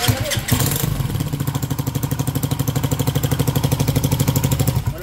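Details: Motorcycle engine repaired about ten times: fires up and idles with rough pulsing beat and dry top-end clatter; oil not reaching the head, cam damaged after a broken oil seal let oil through; top-end valve train noise from oil starvation.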